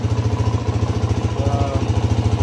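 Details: 2006 Suzuki DRZ400S single, bought cheap as an intermittent non-starter, now running while the idle speed is adjusted; steady thump, even pulses about twelve a second, no misses or knocking; normal idle.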